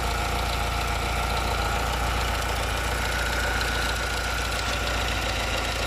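Steady idle with a rough, gritty rasp riding over the beat and a faint whine above; an audible grind, source not pinned down.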